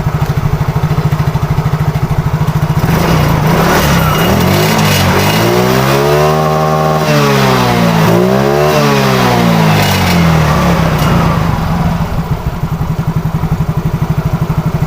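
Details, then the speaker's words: Yamaha Soul GT fuel-injected scooter after fuel pump replacement and removing water from the tank, since fuel wasn't reaching the injector and caused hard starting and sputtering: idles evenly, revs up and down cleanly twice without stutter; normal running. "dan sesudah diganti kita hidupkan sekilas dulu berhasil"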